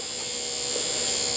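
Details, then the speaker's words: Porsche 3.2 Carrera door window regulator motor tested after reassembly: steady high electric whir running evenly for over a second, then a clunk at the stop; it works, owner unsure if it is fast enough; normal power window motor operation. "it does work i wonder if it's fast enough sounds like it's getting better i think that sounds pretty good"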